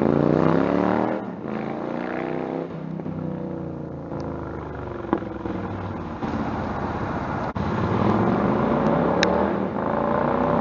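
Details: Stryker on a warm-engine road ride after new header gaskets fixed leaking headers (about 11,000 miles): revs rise and fall through the gears with smooth pulls, no surging, popping or backfire; power feels linear. Normal exhaust under acceleration.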